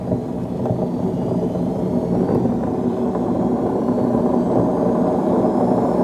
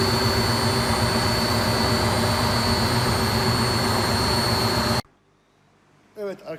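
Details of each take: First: Beko D5 7101 washing machine with plastic tub, before drum bearing and seal replacement: steady low rumbling roar throughout the spin with no let-up, from a worn drum bearing. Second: Beko D5 7101 washing machine after its plastic drum was cut open and the bearings and seal replaced: steady, even whir from the drum for five seconds with no grinding or rumble, then it stops; normal smooth spin.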